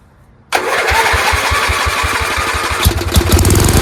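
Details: Free Dayton lawn tractor with an 11 hp Briggs engine being revived, started on choke with an unreliable push-start button and no air filter: catches instantly into an even single-cylinder thump with a crisp exhaust bark; healthy.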